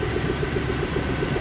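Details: Renault Kwid petrol engine idling unevenly with the check-engine light on; the misfire counter shows cylinder 3 at 9604, and a faulty injector is suspected.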